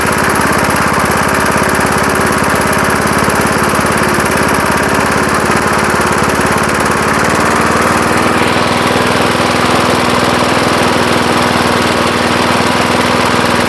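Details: 1975 Murphy's 20-inch push mower, first run after long storage in a shed: even single-cylinder putter with a firm step up in speed near eight seconds, no misses or knocks; running healthy.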